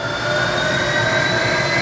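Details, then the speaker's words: Mazak Integrex e650H mill-turn turning spindle after replacing a relay and the spindle power supply, running in high range: steady, even whir with clean high tones. Everything working; normal running. "so everything's working now see I should be able to go up to 1600 rpm is a maximum"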